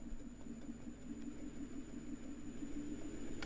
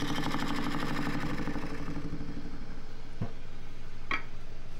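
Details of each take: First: Small lathe with green juniper natural-edge bowl blank (230x120 mm) for roughing, balanced enough to run at about 530 rpm: quiet steady low hum with even pulse, no thumping or wobble; balanced workpiece spinning smoothly. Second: Small lathe turning green juniper natural-edge bowl blank (230x120 mm), tool cutting where grain is all over the place: rapid steady knocking about three a second over the spinning hum; tool knocking on irregular grain.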